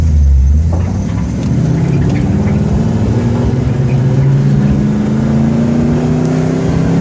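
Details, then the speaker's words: Ford F100 with Edelbrock 1405 carburetor, cold and on choke: fine at idle and with more gas, but note wavers and sags at small throttle openings; off-idle stumble persisting after choke off, cause unconfirmed. "it doesn't affect it at an idle it doesn't affect it when you're in the gas a little bit it's just that off idle a little bit of throttle opening and then it's not good"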